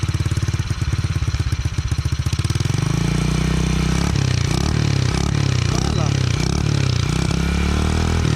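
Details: Custom Honda Monkey-style bike built on a Honda Kharisma base, kick-started, with a muffled exhaust: a small single pops rapidly, then runs with an irregular beat and brief stumbles instead of a steady idle. The carburetor setting may need adjustment.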